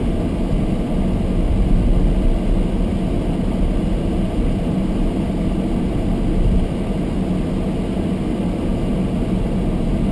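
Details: Almost-new Toyota Prius hybrid in Japan, below-freezing weather with fogged windows: the windscreen demister fan is turned up high, giving a steady, even rush of air over a quiet idle. The camera sits close to the fan, so it sounds louder than it is. This is normal blower noise.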